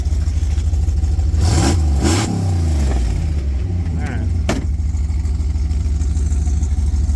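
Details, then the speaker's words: 1998 Jeep Grand Cherokee Limited ZJ 5.9 V8: deep, loud exhaust blaring and rasping as the engine is blipped and settles; exhaust leak from a poorly welded exhaust, Flowmaster replacement planned. "This exhaust came with it, and it has kind of an exhaust leak because they weren't good at welding."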